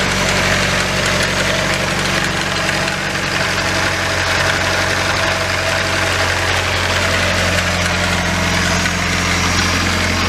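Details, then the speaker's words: Nissan 240SX KA24DE, oil level correct, new oil pressure switch: rough idle with dull rapid knocking heard under the car, oil light on; knock and light go away when revved. Owner suspects low oil pressure, unconfirmed. "there we go it went away and at the same time that noise under here went away as well so yeah that's not good"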